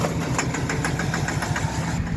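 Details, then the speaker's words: 2013 Chevy Silverado 4.3 V6 with throttle body codes, check engine and service traction control lights: uneven idle with irregular stumble and light ticking pulses; rough idle, sounds like a misfire. "The truck is acting up now. sounds like it's misfiring. Making the weird noise."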